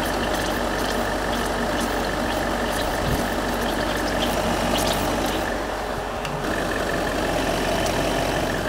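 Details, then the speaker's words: Land Rover Range Rover L322 4.4 TDV8 diesel after inlet manifold EGR cleaning and service, warming up after refill: even, steady idle with smooth clatter, no knocks, misses or surging; healthy engine. "that's the sound of a pretty happy tdv"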